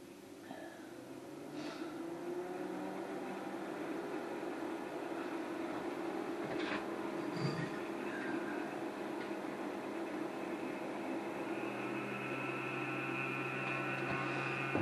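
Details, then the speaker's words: TIG welder at 90 amps in a cold workshop, welding a cracked oil pump cover from a Pontiac Fiero 3800 engine: steady electrical hum with buzzy overtone that changes partway; owner attributes the odd noise to the cold, unconfirmed. "Il fait froid dans l'atelier, quand mon poste (de souder) se met à faire ce drôle de bruit, ... c'est parce qu'il fait froid !"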